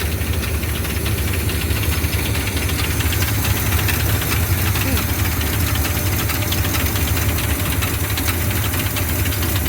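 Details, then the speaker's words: 1979 Chevy C10, V8, at idle: deep rumble with an irregular metallic rattle, roughly three a second, from the back of the engine. Engine found to have zero oil; cause not confirmed, and the motor is to be replaced. "It's still got the noise. Hear it rattling back there. Got something going on back there."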